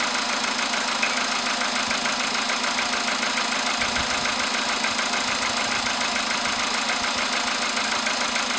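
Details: VW Polo sedan with CFN engine, cold start in the morning after a night at about 10°C outside: a steady, sharp ticking knock about two per second over an even cold idle; metallic engine knock, cause unknown.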